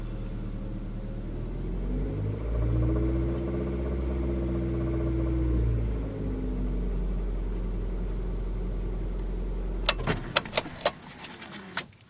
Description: any help identifying this sound. hoping its not a rod.